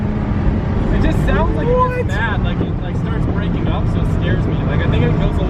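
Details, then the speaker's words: Turbo 1.5JZ-swapped BMW E36, no-lift shift on the 3-4 shift under boost: hard pulls with quick rev drops, brief crackle and stumble at the cut, then straight back on boost; driver thinks it runs a little rich there. "goes a little bit rich on the no lift shift. It's like after it hits, it's a little."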